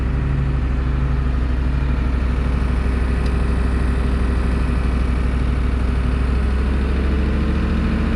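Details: 1990 Ford F350 IDI diesel, just re-primed after fuel filter changes with the air purged from the diesel side, before switching to the oil tank. Steady diesel clatter at idle, an even low rumble of about 2.5 beats a second, no hunting; it idles cleanly.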